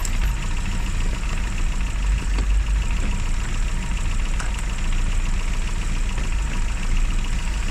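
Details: Classic Mini (Riley Elf) with points ignition, idling after a hard cold start on the year's coldest day, following about three months unused: low, steady idle, even rumble, no knocks or misses. Advice: after a lay-up, run at least 30 minutes.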